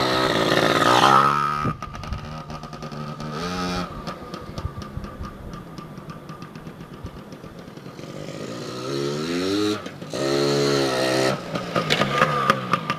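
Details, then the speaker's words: 2002 Yamaha PW80 two-stroke, first cold start after sitting over two years, with new fuel and the carb not yet tuned: a crisp, lively buzz that picks up cleanly on each blip and settles back without stumbling. A healthy, peppy engine. "But yeah, she's a good little runner, quick little peppy bike. I'm impressed for an 80, yeah."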